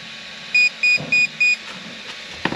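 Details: Absima AMT3.4 RC car with Robitronic Razer brushless combo being programmed: four short, evenly spaced high beeps, then a brief pause, from the ESC marking programming item four (the LiPo cutoff was then set to five, 3.2 V).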